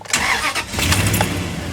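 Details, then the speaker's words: 2001 Dodge Dakota 4.7L, 20+ years old, stone-cold start: the engine catches and settles into a fast, even idle around 800 rpm against a wanted ~700. Idle is too high; idle air control cleaning is the planned fix. "okay to me that's idling too high i want it to idle let's call that 800 i wanted to idle at 700 or so okay i'm not going to let it idle too long that's still too high in my opinion"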